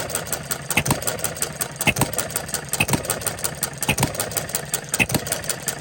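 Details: Restored Coles single-cylinder engine on regular gasoline, ignition timed about 6–8° after TDC (knocked slightly at TDC on bad fuel): slow beat with a sharp firing pop about once a second, evenly spaced; running cleanly, no knock heard.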